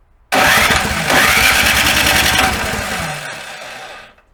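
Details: Snow blower engine at first start after summer storage: sputtering crank for about three seconds that never catches and winds down. The owner says the carburetor's tiny jet holes clog in storage; the carb bowl was drained.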